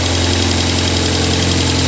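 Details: 1997 Rover 200 vi just after head gasket replacement: steady dense idle with an even low hum, no stumble or knock, oil and dirt burning off the exhaust; engine idling cleanly.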